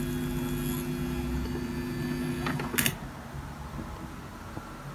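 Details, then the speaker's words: Turntable output: steady low electrical hum with buzzy tones that drops away sharply near three seconds when a floating ground cable picking up noise is connected to the amplifier's ground. "an obvious solution is to connect this wire to somewhere to stop it from floating and picking up noise"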